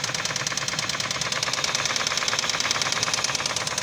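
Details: 1997 Nissan Maxima A32 3.0 automatic, knocking since overheating on the highway (leaking water pump replaced); knock has worsened and it burns oil at idle; sharp metallic knock about three raps a second; owner suspects warped head or damaged crank bearings.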